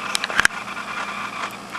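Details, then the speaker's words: Metal-geared mini servo driving a Robart tail-wheel retract on an 80-inch R/C Zero, set by a programmable servo controller: a few clicks, then a smooth even whir cycling between programmed endpoints without binding, normal operation. "and now you can see what it's doing is it's cycling from one end point to the other for what I just programmed"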